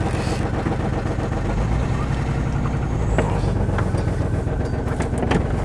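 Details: 1996 Chevy S10 Blazer 2-door, cold start: lumpy, uneven low idle beat under a loud raspy exhaust from a bad muffler; rough running from a bad fuel injector spider.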